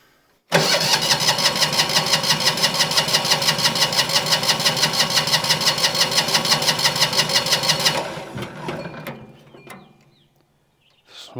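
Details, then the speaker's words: Winget mixer single-cylinder diesel, stood a couple of years, decompression lever checked: about seven seconds of steady even cranking beats, smoke now appears but it never fires; owner suspects a compression problem. "let's give it a couple of cranks and see what happens then. Is it? We got smoke now, which we didn't have"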